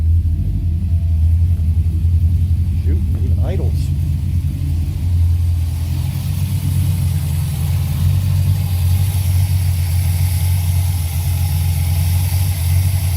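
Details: Carbureted Chevy 6.0 LS V8 in a Porsche 944. It holds a deep, steady, even idle with no misses or knocks, which is normal.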